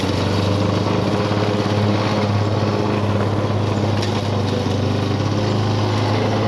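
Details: 1985 Lawn Boy 7350 two-stroke mower, revived after years outside, cutting weeds; steady, even burble under load, no misses or surging, slightly slow revs; owner says real good running but RPM a little low.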